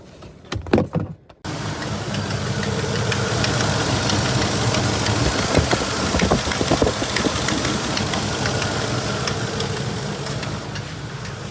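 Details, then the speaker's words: Ford truck with a disconnected vacuum line behind the intake: an uneven, lumpy idle with irregular knocks and stumbles about two a second; rough idle, suspected vacuum leak. "Yeah. This thing's running like crap. This is my next job here."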